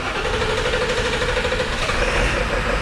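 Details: 1999 Ford F450 Power Stroke diesel service truck on a warm day after injector work: idle lopes with a steady repeating stumble every cycle, one cylinder not firing; a dead miss still present.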